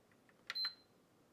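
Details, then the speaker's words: PS5 console on the repair bench, previously worked on, with 12 volts present: short high beeps repeat about every second with no power light; suspected HDMI encoder chip not communicating with the south bridge, unconfirmed. "Yeah. Okay, that beeps every so often. That that does sound like an HDMI encoder chip that is not talking to the South Bridge. That's what it sounds like."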